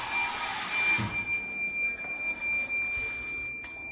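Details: School washroom auto-sensor faucet after a power outage: shrill, steady high-pitched electronic tone, short beeps at first and then held; fixed by unplugging it, wiping the contacts and plugging it back in.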